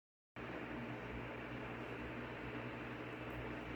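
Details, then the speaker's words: Ventisol Fenix three-blade ceiling fan running at maximum speed: a soft, even rush of air with a faint low hum and no ticking or wobble; normal, quiet running. "essa é a essa é a velocidade máxima, tá? Do ventilador. Não tá fazendo tanto barulho, ó."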